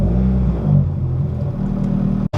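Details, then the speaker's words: Honda Civic EM1 Si, engine ticking previously fixed: blipped revs give a smooth deep rumble with no tapping on top (tach not rising, cluster not working); valvetrain quiet, no ticking. "yeah revving it up but the RPMs are not going up and if you can hear correctly you don't hear no ticking at all"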